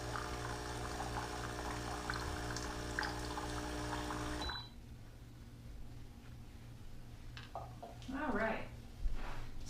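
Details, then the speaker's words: Keurig Rivo R500 priming via espresso button with mug on drip tray: steady pump hum with water running about four seconds, then clean shutoff; normal priming before first coffee. "priming of the machine is finished and now we'll be ready to do our first coffee"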